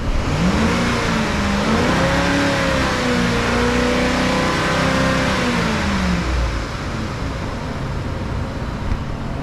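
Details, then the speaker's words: 2010 Ford F-150 5.4 V8 that the dealer said needed a new engine, first start: revs climb cleanly and settle, even, no knocks or misses; engine good. "seems to be running pretty good Let me Give a Little Bit of RPMs here"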